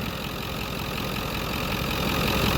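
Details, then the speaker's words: Ford Powerstroke diesel in a donor truck, idling, with a 3-inch downpipe; owner suspects both up-pipe seals are blown and leaking exhaust. Even diesel clatter with no misses or heavy knocks; the engine sounds tight and healthy. "it does have a three inch downpipe in it though which is nice so this sounds like a nice tight motor"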